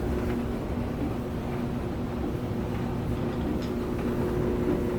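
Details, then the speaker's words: Samsung DV203 dryer, about 7–8 years old, with a no-heat fault, back together and plugged in for a test; the drum turns with a steady low rumble and motor hum, no knocks, and the pipe is getting warm. "all right at least it works let's give it a shot there's your dryer turning"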